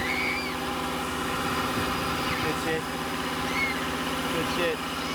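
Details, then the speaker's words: 1999 Land Rover Discovery TD5 auto diesel, started on jumper leads after priming the fuel system: steady, even diesel idle with soft rhythmic chatter, children's voices in background, no misfire; normal diesel idle. "It started, no worries. And as you can hear my nieces in the background, they are pretty bloody stoked with it."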